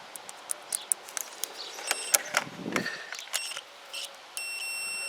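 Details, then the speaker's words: Kymco Agility 125 scooter with no spark, multimeter on continuity across the two-wire stator charging coil terminals; probe clicks then a steady tone holds. Coil wires shorted to each other, leading owner to suspect a bad stator. "bear in mind there's only a two wire coil looks there's not three wires to test they're joined they're shorted out to each other so that leads me to believe that the stator is"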